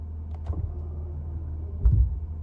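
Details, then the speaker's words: Ford F-150/Super Duty power running boards extending after being commanded from the truck's settings menu: a low steady motor hum with short whirrs and a soft clunk. They deploy smoothly, a normal operation. "Okay, there they go. So now the power running boards are out."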